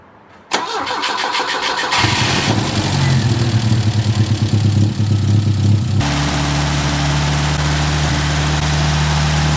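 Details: Classic carbureted project car after attempted vacuum-leak sealing, idle adjustment screws backed fully out: cranks, catches and holds a fast steady high idle; suspected leaking carburetor throttle shafts letting in unmetered air.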